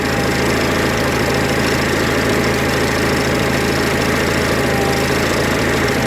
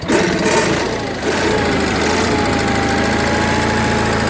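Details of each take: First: Onan 4kV generator at steady idle after carburetor mixture screw is turned richer: uneven pulsing beat and shaky note instead of a flat hum, rough running from an over-rich mixture; closing the screw too far makes it stall. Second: Onan 4KV generator after maintenance and repair. It starts quickly and holds a smooth, steady idle with an even hum and no tapping or stumbling; a healthy running engine.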